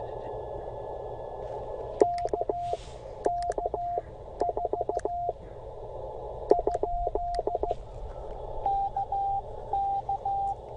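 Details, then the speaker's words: Bamatech CW paddle key on 20 m POTA activation, adjusted tighter the day before: bursts of sidetone with uneven breaks and odd short or dropped elements; key misfiring now and then, needs readjusting. "I've got some adjustment to do to my key here a little bit sometimes I I got it misfired on me I adjusted it yesterday"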